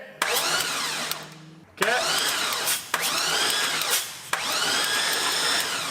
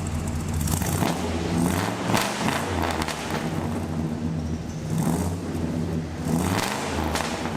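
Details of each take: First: 1985 Chevrolet crew cab dually with an LS engine, sat over two years after fuel problems. Short, roughly one-second bursts of starter whine with no firing between them: it cranks but won't start. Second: 1985 Chevrolet crew cab dually with a 6.0 V8 and long pipes, revved after sitting over 2 years, which followed fuel line and fuel pump issues: deep rumble swelling smoothly on each rev and settling evenly; it sounds strong and healthy.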